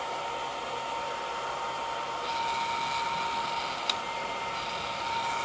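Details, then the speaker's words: Longer Ray5 20W laser module fan fitted with a custom duct and modified grill, running at a steady speed with an airy white-noise rush and almost no whine. Normal fan noise. "this one has almost none of that wine shining through but there's more of a white noise sound behind it"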